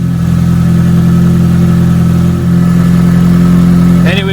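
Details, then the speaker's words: 1993 Asuna Sunfire 1.8L petrol engine right after throttle body deep clean and spark plug inspection: steady, even low idle with smooth constant hum, no misses or knocks; sounds a lot better, normal idle. "let's fire the baby up and see how she sounds like sounds a lot better guys"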